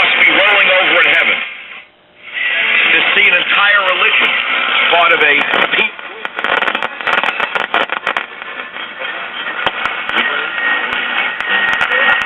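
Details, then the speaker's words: 1951 Silvertone 5-tube radio after replacing capacitors, power cord and bad tubes, with a defective IF transformer still being repaired: a station comes in with steady music and voice, though the speaker sounds rough; normal reception. "okay we're getting some reception now"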